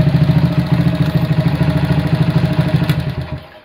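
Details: Honda CB100 K3 with CDI, GL Pro/Mega Pro carb on aluminium manifold without insulator, good compression: single-cylinder chuffs at fast steady idle with rattly mechanical edge; noisy engine, carb idle won't come down.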